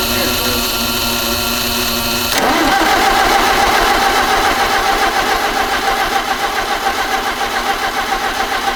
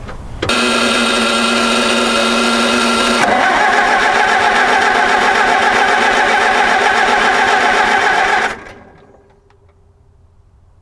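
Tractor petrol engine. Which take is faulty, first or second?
first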